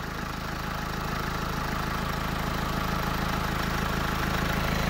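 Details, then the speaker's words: 2nd-gen Renault Twingo 1.5 dCi with a replacement engine fitted with the old engine's accessories. It had an unstable idle and stalled. After the faulty high-pressure fuel pressure regulator was replaced, it runs on all 4 cylinders with a steady, even, smooth diesel idle. "donc là on a mis ce régulateur on a démonté on a mis un un autre la voiture elle tourne impeccable donc là la voiture elle tourne elle tourne en 4 cylindres le ralenti est devenu"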